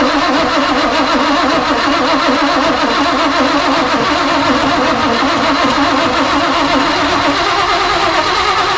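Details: Off-road recovery tow truck starting after wiring rework and carburetor replacement, still needing tuning; engine fires and settles into a steady, even running note with no misses or knocks, a good start.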